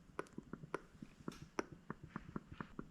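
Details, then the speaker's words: Rebuilt diaphragm fuel pump for a Honda Odyssey FL250 buggy, tested by blowing and sucking through it by mouth. Quick soft clicks as the diaphragm flexes back and forth; the pump works and seems to seal. "You can hear the diaphragm like kind of clicking back and forth. It's actually flexing."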